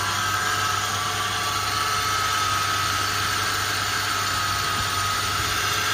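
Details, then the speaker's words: 2007 Toyota FJ Cruiser, noise noticed as new after a cross-country road trip: constant high whir above the engine note over a steady idle, unchanging in pitch. Source unknown. "so it's kind of like a high-pitched um whirring sound so i'm gonna start the car and maybe you can hear it and just help me diagnose what it is it's that that's higher pitch than the engine"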